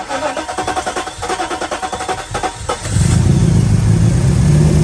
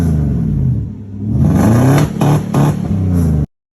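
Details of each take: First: 1995 Mercedes S500 W140 petrol V8 after pulling and cleaning distributor caps and rotors to fix misfire, rough running and stalling: long crank, then even idle with clean revs, running on all cylinders, good throttle response; smooth idle. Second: 1995 Mercedes S500 W140 V8, warmed up, idling unevenly with stumbling dips and surges like a two-step; misfire, distributor caps and rotors to be pulled and cleaned.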